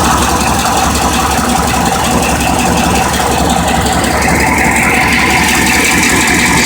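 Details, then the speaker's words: 4th-gen Firebird/Camaro LT1 V8 just restarted after a fuel pressure regulator replacement, no leaks: a steady, even V8 idle with a smooth low rumble and no stumble or miss; a normal idle. "Okay, so we've got it back in. We started up. Don't have any leaks."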